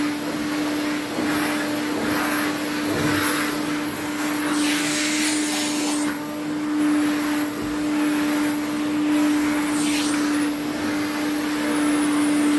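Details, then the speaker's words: Restored 1980s Electrolux cylinder vacuum running: steady high-pitched whistle over the motor roar, which the owner attributes to two parts on the machine. "you can hear the whistling that's these two"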